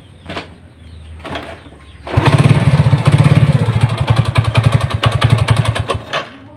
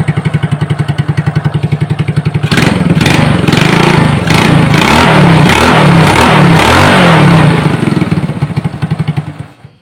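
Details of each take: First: Honda Supra motorcycle with mixed BMC/Honda engine halves: rough, uneven knock on idle at about three to four a second, heard at idle, sometimes gone with throttle open; loose clutch-side nut knocking. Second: Honda Supra motorbike with a mixed BMC/Honda crankcase, after teardown to cure a rough noise, valve cover cap off to check oil reaching the head: even steady single-cylinder idle, a rev in the middle dropping back smoothly, no knock; normal idle.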